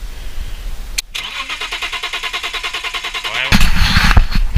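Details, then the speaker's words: BMW M3 E36 3.2L SMG, abandoned ten years, spark confirmed: starter cranks steadily about 2.5 turns per second, never fires; suspected bad contact, fuel pump runs only intermittently. "Je vais essayer de mettre un petit coup de démarrage. Non, là j'entends pas la pompe tourner. Il doit y avoir un faux contact."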